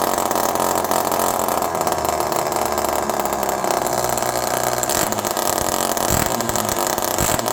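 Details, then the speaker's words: Homelite Super Mini chainsaw in cold weather, low jet about 1.5 turns out: it screams at a high, steady rev and won't drop back to idle. Hanging high idle; an air leak is suspected but unconfirmed. "This is a perfect example of a saw that probably has an air leak."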